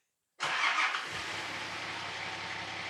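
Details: Spare Nissan GQ Patrol during rebuild, exhaust cut, started: catches and settles into a loud, raspy, even idle with sharp open-exhaust bark and soot; runs steady and sounds fine.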